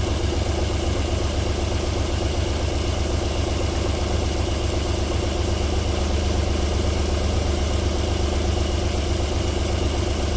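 Steady, even low idle with a regular beat and no knock, tick or misfire; the V6 is running smoothly from cold.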